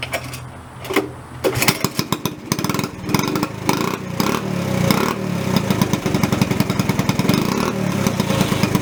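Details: 1984 Honda ATC 110 single, sat 25 years, carb rebuilt with OEM kit, oil, filter and fuel lines renewed: a few cranking clatters, then catches into a steady, slightly uneven putter; runs pretty good, not awesome.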